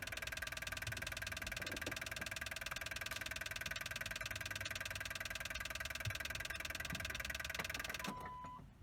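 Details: Hard start on a 1984 Pontiac Trans Am V8 5-speed barn find, cold start, first start in many years: fast, even starter rhythm about three beats a second churns without catching, then stops.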